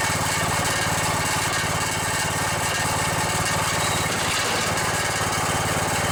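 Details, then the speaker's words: Riding mower with a 17.5 hp overhead-valve engine: steady drone with a fast tinny metallic buzz from a loose rattling muffler; otherwise the engine sounds pretty good. "Yeah, that rattle is the muffler. Well, other than that muffler rattling, sounds pretty good."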